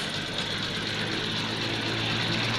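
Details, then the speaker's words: 2017 Toyota Corolla 2NZ petrol engine idling with an uneven, lumpy, stumbling beat, lacking power and pickup; two cylinders dead (pulling their coils changes nothing). "गाड़ी start करते हैं गाड़ी का sound भी अजीब सा आ रहा है और गाड़ी प्रेशर भी नहीं ले रही भाग भी नहीं रही और हमने यहां देखा तो दो सिलेंडर इसके काम नहीं कर रहे"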